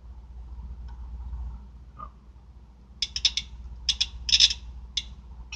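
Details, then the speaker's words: Car electric cooling fan relay, bench-tested at 12 volts while troubleshooting overheating at idle: crisp, sharp clicks in quick clusters with no buzz or chatter. The relay contacts close properly, a normal relay click. "you hear that okay that sounds like a really good contact but that's not all you need to have success"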